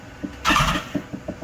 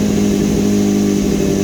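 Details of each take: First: 2015 BMW S1000RR after engine swap from crashed bike, intake cleaned with foam cleaner: short starter spin with soft compression thumps but no catch; cranks without starting while the cleaner residue clears. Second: 2015 BMW S1000RR after an engine swap, started again after topping up fluids: holds a steady idle, then revs up and drops back cleanly with no knocks or rattles; normal running.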